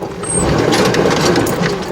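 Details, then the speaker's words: 2005 Chevy Astro Van overheating, heard inside with an exchanged aftermarket fan clutch: a whooshing roar swells and holds over the engine, quieter than before; fan clutch suspected staying locked up; 170 thermostat replaced the 195. "so i took it back replaced it exchanged it i should say and same one this one you can hear it in here right now"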